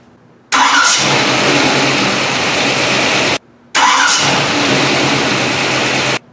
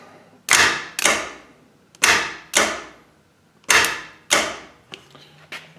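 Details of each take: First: AMC engine, warmed up, after installing a gear-reduction mini starter; two starts, each a brief crisp crank under a second before the engine fires and settles to steady idle; starter healthy. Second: AMC Javelin gear-reduction mini starter bench test with old crusty jumper cables: sharp irregular snapping pops with no motor spin, cables arcing across bad contacts; poor cable connection, starter not spinning.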